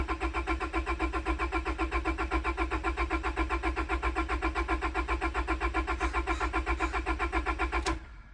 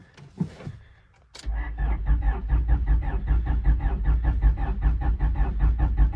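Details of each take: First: Priming crank on a wrecked, long-sitting 25-year-old Honda with ECU and fuel pump off to build oil pressure (upside-down oil filter couldn't be pre-filled): steady, even starter cranking about four turns per second for eight seconds, no firing; normal cranking. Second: 25-year-old wrecked Honda, long unstarted, possibly weak battery: starter cranks evenly but engine never fires; owner suspects moisture in distributor cap, fuel pump not heard; crank no start.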